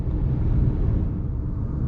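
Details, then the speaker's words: Manual car cruising in the city in fourth gear at about 50 with roughly 1500–2000 rpm; steady low engine drone, smooth and even with no knocks or surges, a normal light-load cruise. "इस समय मैं चौथी gear में गाड़ी चला रहा हूँ। गति लगभग 50 है।"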